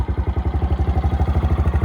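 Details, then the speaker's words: 2006 Baja 90 90cc automatic ATV, single cylinder: the idle screw is turned clockwise, raising the RPM. Quick, even putter idling too high. Idle speed set too high. "right now we have the engine idles at a pretty high rate of this this screw right here"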